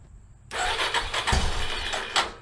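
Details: 1989 Yamaha Moto 4 YFM350ERW single, first start after head repair with the carburetor tapped to stop a leak; cranks with rhythmic pulses but never catches with choke off; it fires right up once choke is turned on.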